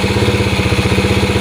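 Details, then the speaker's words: Yamaha Moto-4 Champ ATV first started on a jump pack, fitted with an SDG 110cc pit bike intake manifold and a Honda clone carb: steady even single-cylinder putter at about fourteen beats a second with no misses or knocks; runs pretty good. "runs pretty good sounds pretty good not bad eh"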